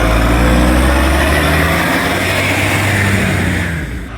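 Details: NAWMA FOGO 3520 diesel: a heavy roar with a rapid chuffing pulse of about four per second, suggesting a large exhaust leak (not confirmed), so the exhaust is loud.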